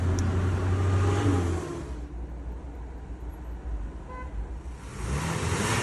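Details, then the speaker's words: BMW E90: even, steady idle of about four pulses a second with no stumble or shake; all cylinders firing cleanly, running like a clock. "Əla. Saat kimi."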